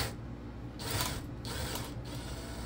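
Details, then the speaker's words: Drill-powered chainsaw attachment: bursts of gritty ratcheting and rasping as the chain runs, uneven with the drill's speed, though the blade is not too tight. A dry chain needing oil is suspected, not confirmed. "I think it just needs lubrication maybe if we put some oil on it would stop making that noise"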